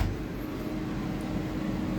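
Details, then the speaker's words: 2019 Micro Lite camper furnace with self-lighting pilot, thermostat set to heat: blower kicks on right away with a steady, even low hum, no rattle, squeal or scraping; warm air takes about a minute. Normal. "You'll hear the blower kick on right away, but it will take a little while before it actually blows out, probably a minute or so, before you feel warm air."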